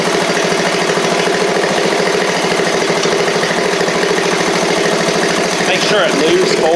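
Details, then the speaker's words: Seven-year-old MTD Murray riding mower, small single-cylinder engine, oil slightly low, just revived: even pulsing at steady speed with no misses or knocks; runs smoothly. "that's nice man that thing runs like a top"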